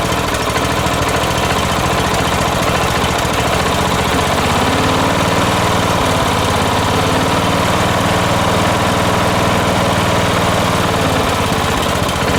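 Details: Late-1980s John Deere RX95 ride-on mower rescued from the curb, first start after the fuel line was connected to the carb: the small single-cylinder engine catches and holds a steady, even run with no knocks or stumbles, running normally.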